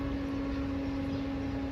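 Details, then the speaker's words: Peugeot 207 with P1337/P1338/P1339 codes and a cylinder 4 coil fault, which overheated and went into limp mode: with the ignition off, the auxiliary radiator fan keeps running as a steady airy whoosh and hum, for about 10 minutes. "So you can hear that fan, it's still running. And it runs for about 10 minutes."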